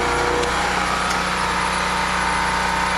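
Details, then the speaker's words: Small generator after carburetor replacement, under load, holding 60.5 Hz, having run between 60 and 61 Hz indoors; steady constant drone with no hunting or surging; normal steady running. "60.5. Yeah, we're holding. That's perfect. It ran between 60 and 61 in the house."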